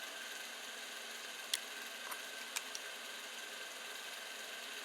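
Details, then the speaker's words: Creality Ender 5 Plus 3D printer, stock Creality hot end cooling fan powered up, not fully tightened (tighter makes more noise): faint steady high-pitched whir, couple of light ticks, no grinding; fan running normally. "this is the one of the hot end fan for keeping the hot end cool so just power it up and you can listen to this"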